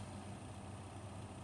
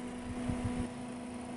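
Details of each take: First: Cooler Master V8 CPU cooler 120mm fan spinning up: steady low droning rumble with buzzy rattle, no rhythm; fan sounded iffy in the system, fan should be replaced. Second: Cooler Master V8 CPU cooler 120mm fan after oiling the bearing: soft steady hum with a faint low tone, no rattle or wobble; vibration nearly gone and airflow improved.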